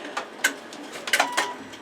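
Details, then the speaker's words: Embroidery machine mid-stitching giving short, irregular high bird-like chirps and squeaks over stitching clatter; owner thinks the back-and-forth arm needs greasing. "My machine is making a little bit of a squeal, and I think what it is the arm where it moves back and forth just needs to be greased a little bit."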